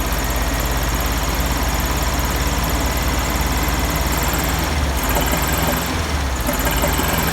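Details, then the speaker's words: 1971 VW Beetle air-cooled flat-four with cleaned reproduction Kafer 34 PICT-3 carburetor replacing a 30/31 PICT, just started and still partly choked: wavering, stumbling rough idle; carburetor needs adjustment, heavier spring fitted, no fuel leaks. "well definitely gonna have to adjust the carburetor it does work"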